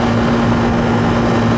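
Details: Second-floor AC condenser running normally after the refrigerant charge was adjusted (80°F outside, 72 indoor wet bulb, subcooling lowered, superheat raised) and new capacitors fitted: a steady, even hum with constant low-mid tone and no rattles, knocks or surging.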